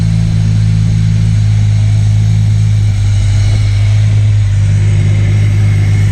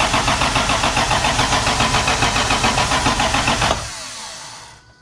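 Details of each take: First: MK3 Toyota Supra after the Crispics igniter-ground mod and with the igniter now plugged in properly, previously not firing: deep, even idle with a steady low drone and no misses or stumbles, idling much smoother and calmer than before. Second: MK3 Supra (7M engine) after the Crispics igniter-ground mod: starter cranks evenly at about three and a half turns a second but never fires; suspected culprit not confirmed, later idled smoother.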